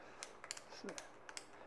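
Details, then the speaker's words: Trek 2200 SL used road bike, older trigger shifter: uneven sharp clicks as original grease hardened inside stiffens the pawls so they don't catch or ratchet well; shifter misfire. "so what it does is it catches those stiffens up those pawls so they don't catch or ratchet very well"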